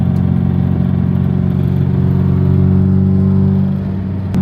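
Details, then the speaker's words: Engine revved after valve lash adjustment: rapid uneven metallic rattle over steady drone, fading as revs drop; owner suspects slight rod knock, origin unknown. "Almost like a rattling sound. Yeah, it really is like a rattling like it's like something's in my motor, but it can't be that."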